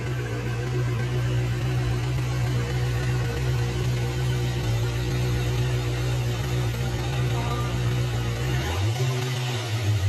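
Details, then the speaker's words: QJMOTOR SRK 600 inline-four after rebuild (had knocked from scored camshaft, worn rod bearings; cylinder head swapped), in echoing shop: smooth even low idle hum, no knocks or ticks; normal idle. "The echo inside the shop is quite strong, so it sounds a bit loud."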